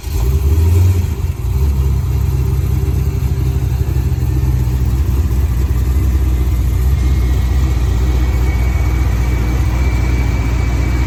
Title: Gen 5 Camaro Twin Turbo noise at idle